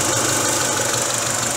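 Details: Great Wall Hover H3 after head gasket replacement for a blown gasket, warm at 86°C with cooling fan running, no errors: idle behind loud rushing fan, revs steady, no misfire or stumble; normal idle, car fully ready.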